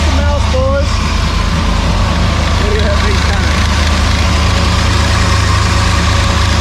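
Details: Freshly rebuilt Maliboom engine at first fire, oil pressure up, running through mufflers: deep loping idle with a steady low rumble, no ticking or knocking; the engine idles healthy.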